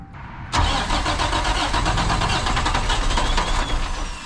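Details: International 4900 diesel bucket truck that sat for 5 years: steady fast starter cranking with even compression pulses that never catch or fire; air in the fuel system.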